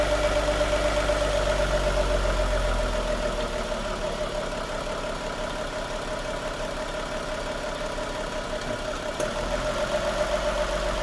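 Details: 2016 Lexus GS350 at 54,000 miles, idling in park after a brief shift into reverse: steady fast even tick about four per second; owner suspects vacuum pump, not confirmed.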